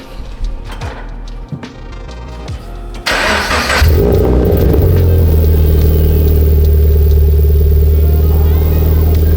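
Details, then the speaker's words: 2013 Subaru BRZ with a newly installed GReddy EVO GT exhaust, cold start after sitting a week: loud deep idle with a rapid puffing tick from an exhaust leak at the mid-pipe joint. "Yeah, that's pretty bad. You can definitely hear that exhaust leak. So, I got to go get that fixed."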